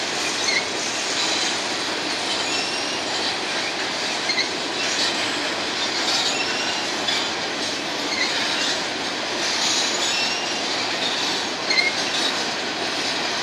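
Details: BNSF empty grain train at sunset, headed to North Dakota for reload, led by two GE locomotives: passing freight cars roar along the rails with faint thin squeals from a few wheels rising above the rumble.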